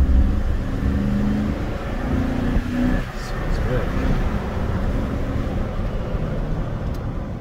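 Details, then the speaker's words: Car engine after fresh Amsoil Signature Series 100% synthetic oil and filter, previously running a little rough, driving down the road: smooth, steady low rumble under street noise, no knocks or misses; much smoother, normal running. "engine was running a little rough before and it sounds like it's running a lot smoother I love it"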